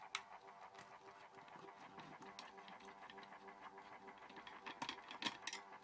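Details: Horstmann VA Mk9 SRS2 rate changer time switch, 240V 50Hz synchronous motor, just plugged in: faint steady whirr with light irregular ticks, because the 15-day spring reserve was unwound and is winding; normal, not a malfunction.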